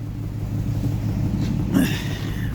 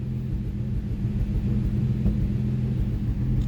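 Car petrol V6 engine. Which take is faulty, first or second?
first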